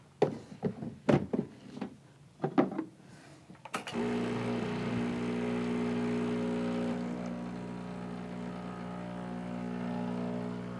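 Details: Breville Infuser espresso machine pulling a 2-ounce shot. Knocking from tamping is followed by a steady, low vibrating pump hum that holds even through the shot. Normal extraction.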